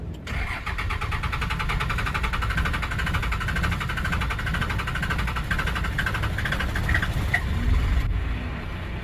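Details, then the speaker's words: 1997 Dodge Ram Gen 2 Cummins diesel with NV4500 5-speed, sat for years, cold first crank: brief crank, then catches and settles into a steady, even clatter with no stumbling and no heavy smoke; normal diesel cold start. "Okay. I think she sounds all right."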